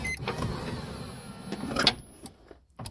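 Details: Toyota Alphard sliding door actuator motor, wires reconnected with reversed polarity and cable reattached, on a retest after repair. A short electric whir as it hauls the cable, a click at the end, then quiet. The actuator works properly.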